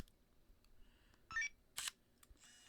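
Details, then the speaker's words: Leica D-Lux 1 (first version) digital camera at power-on: two short, smooth whirring motor bursts as the 7-element DC Vario-Elmarit zoom lens drives out without hesitation. Normal lens extension. "I want you guys to just take a look at the way that the lens, the Leica Elmarit Vario lens, comes out of its hiding."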